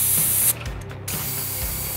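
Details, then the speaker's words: Homemade pneumatic mantis-blade actuator run at 30 to 50 psi, sharp hiss of escaping air then low clatter; a big gap in the bottom was leaking air and heavy grease slowed extension, sealed up tight afterward. "we're gonna snug everything up make sure there's no leaks since i just flipped it over and found a big gap in the bottom"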